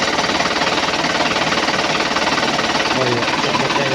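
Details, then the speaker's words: 2011 Isuzu Panther LS diesel, after teardown and repair of scratched pistons that caused a tek-tek knock: even diesel clatter at steady idle, about three beats a second, with no tick on top; the knock is gone and the engine sounds healthy. "Iya satu suara. Satu suara tek-teknya itu hilang. Ini udah rata ini."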